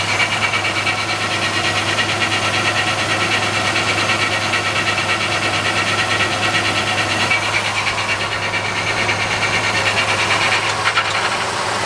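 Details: 1997 Ford Ranger 3.0L OHV 2WD automatic idling in gear: rough, gritty grinding and buzz over a steady low hum in Reverse, Drive, Drive2 and Drive1; recently threw P1744 code pointing to torque converter clutch solenoid issues.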